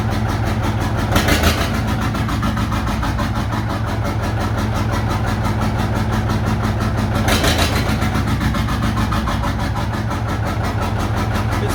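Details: John Deere 830 Industrial two-cylinder diesel, after about 20 minutes running, in high gear with brake applied and clutch released: low steady thump pulling evenly under load, brief rises, both cylinders firing cleanly.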